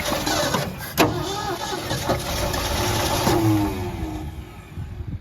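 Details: 1973 Ford F100, 302 Windsor V8, 3-speed manual, parked 16 years, carburetor bowl filled with 87 octane plus Marvel Mystery Oil: uneven cranking churn with a couple of sharp catches as it almost fires, then dies without running.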